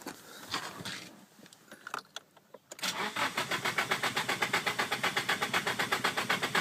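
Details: Car cranking after some handling clicks, steady rapid cranking about four beats a second, engine never catches; crank no-start, recorded for the car's tuner.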